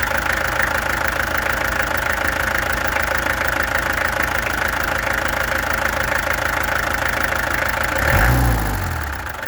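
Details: Peugeot XD2 diesel at idle, before the injectors were removed, tested and adjusted: steady clatter at about three beats a second, slightly uneven, with wind noise near the end. Owner suspects a misfire.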